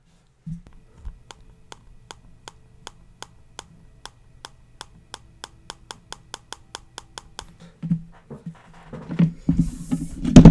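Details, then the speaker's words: iPhone X display pressed (3D Touch, bottom-left area), held to the mic: a run of sharp, evenly spaced popping clicks, about three a second. The owner suspects the display is not fully glued down or is missing screws; the display later became unresponsive. "so if I press on this you can hear that there's some popping going on in this display it's like it's not glued down entirely or maybe there are a couple parts but with missing screws or whatever"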